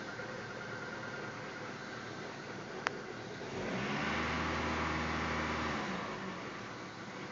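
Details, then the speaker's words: 1995 Dodge Stratus 2.0-litre Neon engine with 5-speed manual at 240,000 km, just after a cold start: a smooth, even note climbs on a brief rev, holds, then settles back to idle with no knocks; the owner says it runs like a dream. Normal revving. "here's the 5 speed clutch runs like a dream only 240 000 kilometers on it"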